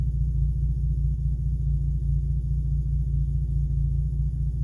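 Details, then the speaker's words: 2008-2014 Cadillac CTS idling smoothly with a steady, even hum and no misfire after the amplifier was disconnected; the intermittent number two cylinder misfire persists despite new coils and spark plugs, so the cause is still unknown. "right now she's purring like a Kitt kitten I'm probably going to do this for the next day or two just to see cuz right now no misfire"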